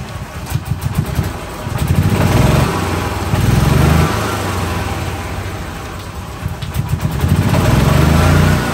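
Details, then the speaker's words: 2013 E-Z-Go gas golf cart after tightening belt: starter cranks engine in repeated bursts about four turns a second but never catches; owner suspects no fuel reaching the motor, unsure why. "okay I know it may sound like it but we don't have gas actually getting to the motor"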